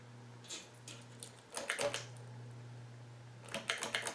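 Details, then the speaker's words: Alaron ceiling fan, owner suspects a failed capacitor, reverse winding also dead: steady low electrical hum with no rotation, interrupted by handling clicks; the motor stalls even after a manual spin. "it's not even mounted right it's gonna stall watch yep yep it's stalled it's gonna stall again watch"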